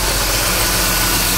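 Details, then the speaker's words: Petrol engine after a vacuum leak near the heater-control vacuum line was fixed: steady even idle, no hissing, idle unchanged when carb spray is applied there; normal idle. "boy that sounds better I think that's where my leak were uh leak was see I can spray there now and there's no change in the idle"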